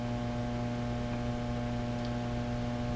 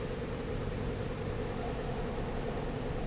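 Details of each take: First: Fender Blues Deluxe amplifier produces a constant low buzzing hum unaffected by any control setting, reportedly sounding out of tune or tremolo-like; mains hum from failing power supply filter capacitors. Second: Fender Blues Deluxe tube amp after the filter capacitor fix: a steady mid-pitched tone holds even with no pulsing or wobble, the earlier bouncing gone. It was then biased to about 35 mA per tube, with supply back at 445 V.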